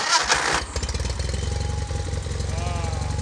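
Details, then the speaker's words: 1988 John Deere 318 tractor, long hard to start, after installing new starter relay switch and oil pan: brief crank, fires at once and settles into steady, even thumping idle; normal start, like new. "beautiful so quick thanks brad this thing works like a ch like like it's new"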